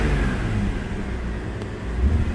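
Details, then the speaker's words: 2004 BMW 325xi after replacing the accelerator pedal assembly (broken pivot hinge): short throttle blip over a steady low engine note, revs rise and settle cleanly with no knocks or misses; runs fine, no warning lights. "we're going to start it up and see how it runs it seems to work just fine"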